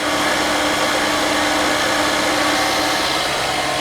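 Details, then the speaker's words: 1996 Mercedes S420 V8 with a large vacuum leak, idling while the secondary air pump runs: constant whirring drone holding an elevated engine speed. The idle stays high for a while, then drops. "the only thing is I don't think it's going to go oh it's coming down I think the idle speed maybe not no idle is still not coming down so because of the air Lea"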